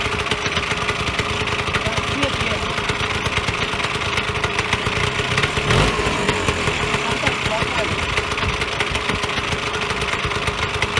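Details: Vyatka Elektron (VP150M) two-stroke scooter revived after long garage storage: quick, even popping at a steady idle with a crisp crackle on top; running fine.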